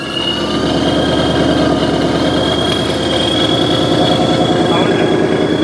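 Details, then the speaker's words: Wrecked supercharged Mustang GT, just after its first start following delivery from Texas: it settles into a steady, even V8 idle with a thin high supercharger whine and loud exhaust; normal idle. "Sounds great. That's spinning. Oh, there's oil in there or whatever. Sounds good. Yeah. Sounds really good. The exhaust is pretty loud too."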